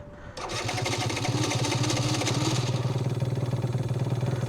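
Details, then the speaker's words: Stage6-tuned Yamaha BWS 70cc two-stroke scooter, completely cold at start of test ride: fires with uneven pulsing beat, stumbling as intake is blocked by hand as manual choke; needs choke to keep running. "This is completely cold, so I'm probably gonna have to choke it manually. Hold my hand on there. There we go. It needs a little bit of choke."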